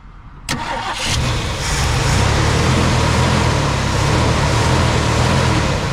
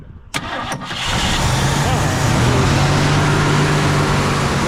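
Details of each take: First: 1965 Mercury Montclair 390 FE big-block V8, long-sitting, fuel poured in: fires and immediately roars to high revs, holds several seconds, then falls away; throttle hanging open because its return spring is missing. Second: 1965 Mercury Montclair 390 FE big-block V8, long-sitting, accelerator pump linkage reconnected: brief crank, then catches and settles into a steady low rumbling idle; starts and keeps running.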